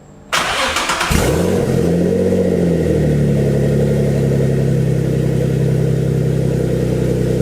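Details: Built Greddy twin-turbo G35 after pressure was adjusted to 54 psi; short crank, quick catch and rev flare, then a smooth steady idle with no misfire or knock. Healthy start.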